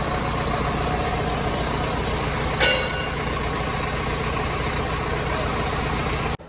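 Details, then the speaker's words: Lincoln welder engine, over 30 years old, after an oil filter service and bleeding air from the fuel system: steady, even idle drone with no misses, surges or knocks; normal idle. "Hopefully I got all the air out of the system now. Man, she still purrs like a kitten."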